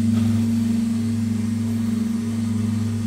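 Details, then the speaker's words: Holley VR2 electric fuel pumps, both running at 50% duty cycle via smart wire/ECU speed control, heard from the driver's seat in a quiet garage: low, steady, even hum at constant pitch, no whine or surging; very quiet. "so I'm gonna turn the fuel pump on so this is both pumps running at 50% duty cycle"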